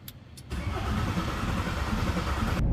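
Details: VW T4 van restarted with the owner's old engine after two years off the road: a brief crank, then it catches within half a second and settles into a steady, strong run; normal clean start.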